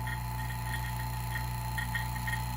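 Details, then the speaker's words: Harbor Freight Pittsburgh HVAC vacuum pump, reassembled and refilled with oil, started before opening valve to recovery drum: steady even hum, no knocking or straining; pump sounds good, normal running. "pump sounds good initially let's go ahead and open the valve and see if it gets really loud"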